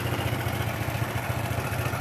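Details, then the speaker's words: Honda Grand single-cylinder motorcycle with rough engine noise; fast, even dry metallic clatter over a rough idle from the top end, diagnosed as worn piston and cam chain needing replacement, camshaft and rocker arms to be checked. "analisa saya ini seher nya sama rantai keteng kita ganti nanti kita cek juga bagian noken as sama Templar apa saja"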